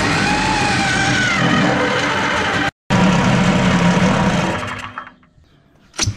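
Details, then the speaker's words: 210cc two-stroke paramotor engine, high compression with decompression button, on a drift trike build, about 19 hp: loud buzzy steady revs without missing, then shuts off; runs strong, music over it. "so well as you can see guys it runs pretty good and you can hear it's powerful it's uh i think they're about 19 horsepower"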